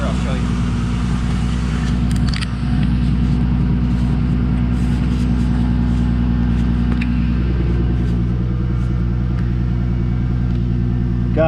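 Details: 2000 VW GTI Mk4, first start in a blown-engine project. Steady, low, even rumble with no misses or knocks, holding a smooth idle. Normal idle, with smoke and several dash warning lights.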